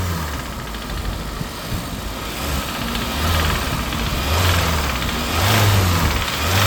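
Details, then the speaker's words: 2018 Hyundai petrol engine. An internal rattle rises and falls with blipped throttle and causes misfire on cylinders 2, 3 and 4. Under acceleration the ECU pulls timing because of the rattle. Diagnosed as engine failure. "under acceleration it starts pulling back timing because of that rattle that you can hear"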